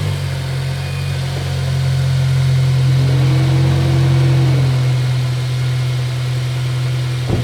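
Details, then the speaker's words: 2006 Honda Civic Si (8th gen, K-series) after replacing the PCV valve: a steady, even idle with a smooth low drone. The earlier scratchy, grinding noise is gone; background clicking is normal for the K-series. Normal idle. "Um, hopefully you guys can hear me, but I don't really hear the grinding noise anymore."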